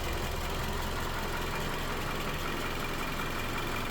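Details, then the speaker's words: 2018 Toyota Camry at 115,000 miles, switched from 0W20 to 5W30 oil, idling: low, soft, even hum with no ticks or knocks; quiet, healthy idle. "Odyssey battery, made in the USA. Just sounds good, quiet. Now shut the engine, you can't even hear it."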